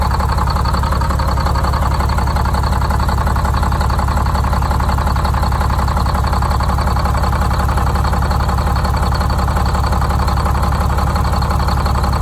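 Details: Detroit Diesel 6-71 two-stroke, first start after new 4-valve head and Davco 382 fuel filter install, valve cover off so not revved: steady, even idle with fast regular beat, no misses or stumbles; idle set via buffer screw; normal idle.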